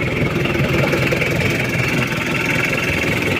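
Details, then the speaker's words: Chevrolet K5 Blazer with Mitsubishi 4D56T turbo diesel after repair and setting, with a mildly modified turbo and new exhaust pipe: steady, even diesel idle clatter with no misses or knocks; limping and white smoke gone, normal idle. "suaranya Udah lumayan halus aman enak tenaganya"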